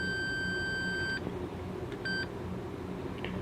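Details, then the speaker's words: Late-1950s Grundig Majestic 3035W West German valve radio under repair, multimeter continuity test on a valve socket pin: steady high beep then a short beep, pin shorted to ground through a capacitor. "So, this is a ground. So, it being shorted to this one automatically runs through the capacitor back to this one. That's why it beeps."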